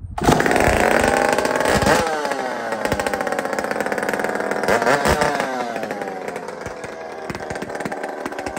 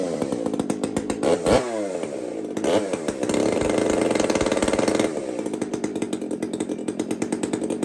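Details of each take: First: Chainsaw with muffler taken off a Tin Man 66 saw, cold: loud, ragged two-stroke rasp with uneven firing and sputters, smoking a bit, settling slightly as revs hold; spluttering until warmed up. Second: Two-stroke chainsaw (Kenzie's), just after first start: catches, settles into a crisp steady idle, then revs up clean and drops back without bogging; running healthy.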